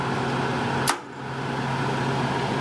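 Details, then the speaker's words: ProFusion EH-4604B 7500W electric garage heater fitted with an external 24V thermostat: a single sharp clunk as the contactor opens when the thermostat is turned down, then the fan keeps blowing on its adjustable delay until the coil cools; normal shutdown. "hear the clunk of the contactor opening, and then the fan delay will count down until the coil is cool."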